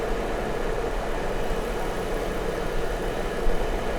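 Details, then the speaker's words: Jeep Wrangler idling with P0304 cylinder 4 misfire; coils and injector swapped without change. Oscilloscope shows injector 2, 6 and 4 pulses fine, so the problem is judged internal to the engine. Uneven, loping idle stumbling about once a second. "entonces estamos bien Con la salida de los tres inyectores que van para este lado Entonces ya el problema viene siendo interno el motor"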